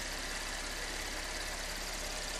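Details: 2013 Chevy Impala after power steering pump replacement, idling up to temperature before a coolant top-off: quiet, smooth idle with a constant airy hiss, no tapping or roughness; normal idle.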